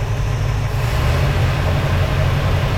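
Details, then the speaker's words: 1971 Ford Mustang convertible 302 V8 after rejetting the Holley carburetor to about 80 jets (float at threads): deep loud idle with slight lope, vacuum low around 13 and bouncing, slight oscillation; unsteady idle, though it runs much better. "We are a little low on vacuum, around 13 at idle. Kind of bouncing around a little bit, but"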